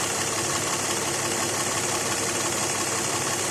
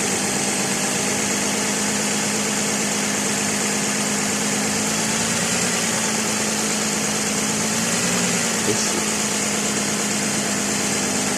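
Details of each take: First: 2006 Lexus ES330 3.3 3MZ-FE V6 idling normally with AC off: smooth, even soft hum, no knocks, grinding or squeal; a metal-on-metal noise near alternator/AC compressor appears only with AC clutch engaged. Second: 2006 Lexus ES330, 3.3L 3MZ-FE V6 idling: harsh metallic grinding rasp near the alternator and AC compressor, returning the day after a belt change; traced to the alternator area and a loose alternator bracket bolt.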